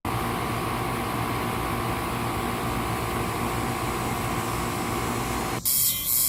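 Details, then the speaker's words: Newly installed outdoor AC condenser replacing a unit whose compressor had locked up, drawing six to seven amps over nameplate: even steady fan and compressor hum under insect buzz, no rattles, knocks or cycling; runs normally. "think that Chicanos the Chiquita's or whatever you call more are noisier than the unit this thing's burning like a kitten yeah it looks pretty good that really is a cute little unit"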